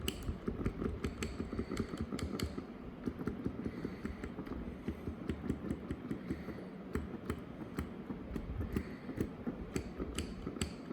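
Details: Brand-new Casio PX-S1000 digital piano: sharp, dry clicks at each black key press, two or three a second, over a low room rumble; owner unsure whether this key action noise is normal.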